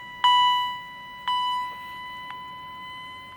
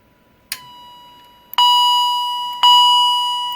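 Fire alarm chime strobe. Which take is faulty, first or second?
second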